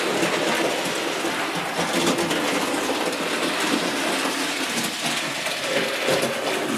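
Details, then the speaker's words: Model A.H. Peppercorn loco after a faulty loose drive wheel set was replaced and the quartering corrected: steady, even rolling with a light rhythmic track click, running forwards, then stopped and reversed. The earlier clunking and jamming are gone. "and you want to stop it there and run it backwards please and obviously you can hear it's running absolutely fine"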